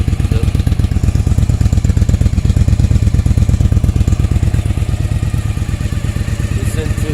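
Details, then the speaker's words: 1995 Yamaha Virago 1100 V-twin, 22,900 km, after a second carb overhaul (new float valves, needles, main jets 125 front and 122.5 rear, diaphragms, pilot screws, fuel lines): steady, even loping idle with no misses, running nicely. "okay this is a movie of my V roughly 1100 after break top overall now it's running pretty nice very fast I've changed this sound a bit"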